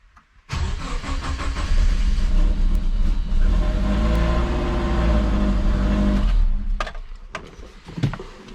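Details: Subaru Forester with compound turbo setup, first start-up: cranks briefly, fires straight away and idles evenly for several seconds before shutdown to check oil pressure; oil leak found at top turbo banjo bolt afterward.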